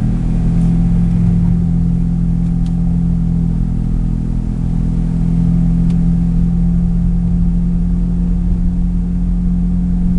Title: Bad wheel bearing noise?